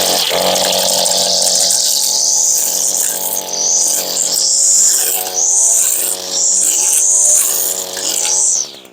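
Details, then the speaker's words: Brand-new GT225 trimmer on its first use, cutting tall grass and lamb's quarters: high buzzy two-stroke revs surge and sag unevenly under load; sluggish throttle response, and the owner suspects the carburetor needs tuning or adjustment. "She may need to be tuned up though just the same. I don't think the carburetor is running exactly right. Not responding."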